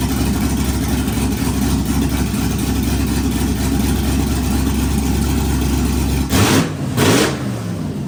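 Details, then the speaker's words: Old 4.8 Vortec LS V8 swapped into a Jeep Wrangler, first start: loud, lumpy rumble with uneven pulses and a couple of throttle blips; runs rough, untuned, on open headers with no exhaust. "obviously the Jeep still needs a tune and it kind of sounds like crap being that it's only open header but we will get an exhaust on it once we get drive shafts in it"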